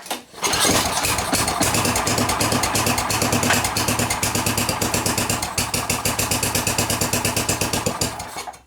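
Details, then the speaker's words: Snow blower single-cylinder engine, pull-started during storage maintenance (stabilizer added): it catches on one pull and runs with a steady, even putter with no misses before shutting off; it sounds healthy. "okay here we go that sounded pretty good okay I like to pull through to that compression well it sounded good"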